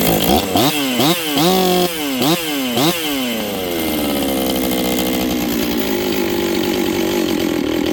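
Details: Rebuilt Husqvarna 266XP chainsaw with a new top end installed, on its first run with final carb settings not yet done. Quick throttle blips climb hesitantly from low, then a slow rise to a steady scream, lazy off the bottom from the untuned carb.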